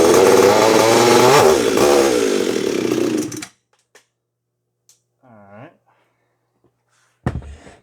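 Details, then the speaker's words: Custom Echo big-bore saw (CS-8000/800 bored +4mm toward a CS9300 build) with an outboard clutch fires and screams at high revs for about three seconds, then cuts out; it starts and runs strong, the clutch cover just tagged. "But there you go, you heard it. It runs."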